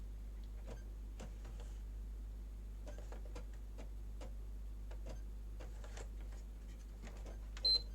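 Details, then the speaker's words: PS5 Blu-ray drive loading a disc: irregular dry crunching clicks over a low steady hum; disc drive mechanism misaligned, later removed and realigned. "I will be crunchiness when it you hear that's that's a misalignment"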